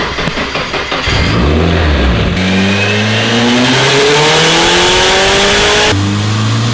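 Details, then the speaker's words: Nissan S13 on dyno, boost raised in small tuning increments: engine pulls hard with climbing pitch and a fast chattering wastegate flutter under boost; noise only, not a control issue, boost very stable. "you hear that wastegate flutter yeah the waist Gate's fluttering it sounds nuts but makes just sound like a super it sounds like a super it's fluttering it's not a control issue boost is very stable"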